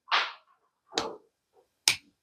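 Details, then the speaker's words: Two torque wrenches coupled, both set to 20 ft-lb, microphone beside them; separate sharp clicks about a second apart instead of one shared snap, so one is out of calibration, probably the cheap one, which is then adjusted. "no one is a little bit off okay so the one I'm going to say is off is probably the the cheap one"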